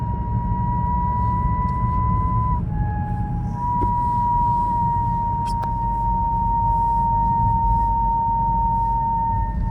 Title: BMW 328i strange whineing noise